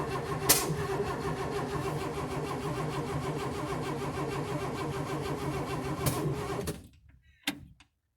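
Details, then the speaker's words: 1958 AMC Rambler Super with new engine, timing readjusted, oil pressure gauge working, fuel not apparently reaching: steady starter churn about six seconds with no firing, then stops; cranks but won't start, cause unknown. "but that's all we got that's all we get it doesn't start yeah it doesn't start"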